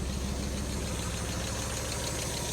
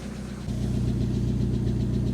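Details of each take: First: Fire-damaged Mk1 Mazda MX-5 at idle after new spark plugs, HT leads looking fine: lumpy, rough idle with dropped beats, cylinders 1 and 4 still misfiring; owner next suspected the coil pack, problem ultimately traced to engine computer and immobiliser. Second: Fire-damaged Mazda MX-5 Mk1 after replacing ECU and temporarily swapping both immobilizer parts with new key: engine settles into steady even idle with smooth low pulses, no stumble or misfire; much smoother than before.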